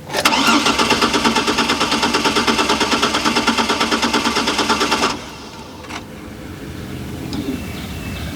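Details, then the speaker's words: Chevrolet Trailblazer that sat five years after being parked running. The starter churns steadily but never fires, though the fuel pump runs; it fires briefly with fuel put into the intake, so fuel is suspected not to be reaching the rail. "the symptoms well we know it ain't starting right it's cranking when i put fuel into the intake it fires it actually runs for a second if you give it enough fuel"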